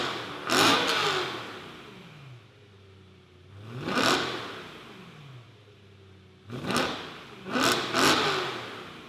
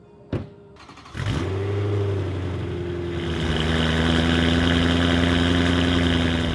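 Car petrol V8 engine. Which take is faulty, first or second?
first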